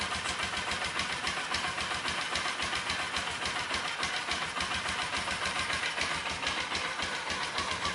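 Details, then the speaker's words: Magnum engine not run for a few years, after oil change and fuel pump work, oil likely overfull: quiet, even idle with steady quick firing beat, no knocks or misses; clutch nearly silent, no bogging, engine sounds healthy. "boy is it ever quiet man that clutch hardly makes any sound at all and she rubs right up no bogging right on awesome"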